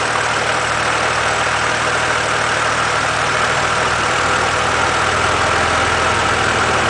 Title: BMW Z4 3.0si engine hissing noise